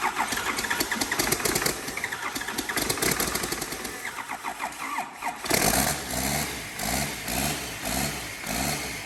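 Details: 12-valve diesel test-fired for the first time in a Squarebody F-350 frame, before clutch and transmission are installed, fuel shutoff held open: cranks, fires and settles into a steady, even clatter with no stumbling; a clean, healthy start.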